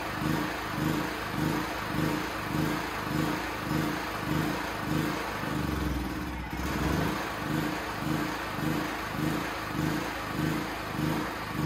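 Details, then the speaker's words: Honda GX270 clone on Champion C49055 generator, just converted to propane with new tri-fuel carb, untuned: engine speed rises and falls about every 0.6 s, rpm bouncing; governor surging. "oh that's not good i hope you can hear me but i adjusted the idle for the load speed here you can turn up and down the rpm um it's bouncing around"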